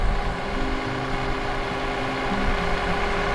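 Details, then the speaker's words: V6 vehicle with a battery drained so it would not start, jump-started with a portable jump starter: steady, even idle with a smooth low rumble and no knocks or misses. "all right so as you can hear the vehicle started"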